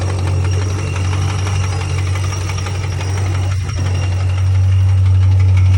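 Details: 2006 Pontiac GTO LS2 6.0 supercharged V8: steady knock about four per second over smooth idle, appeared suddenly; rockers and pulleys checked, no codes, runs fine; rod or lifter suspected, unconfirmed.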